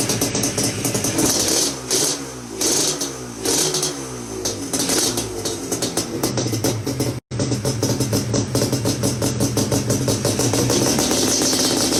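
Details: Yamaha Banshee two-stroke that would not start despite spark, fuel and cleaned carbs with a pilot jet one size up, now starts right up and revs crisply with no bogging after the reeds were cleaned; owner suspects old failed gaskets.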